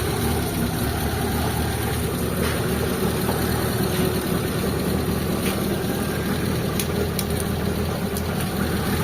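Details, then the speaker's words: Mitsubishi Lancer "itlog" stored for a long time, with the in-tank fuel pump replaced: lumpy idle with occasional stumbles, a misfire. Owner suspects stale gasoline. "Ayun, palagay ko ano na to, yung gasolina niya, medyo panis na yung gasolina, kaya ganyan yung andar niya."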